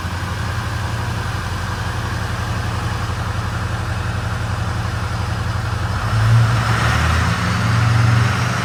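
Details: Ford 6.0 Powerstroke diesel first startup after replacing a failed high-pressure oil pump that had leaked: catches and settles into a steady, even low diesel clatter with no misses or knocks; normal idle.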